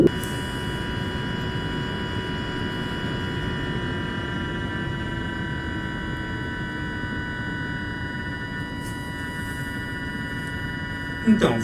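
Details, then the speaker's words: Bench cooler fan and lighting controller with fan at very low speed, microphone moved close: thin steady whine near 1 kHz over soft fan hiss, coil whine from the motor caused by a very low PWM frequency. "esse pequeno riso ele acontece por causa da frequência do nosso tw ele a preferência é muito baixa e ela acaba gerando esse ruído proveniente da própria bobina do nosso cooler nosso motor"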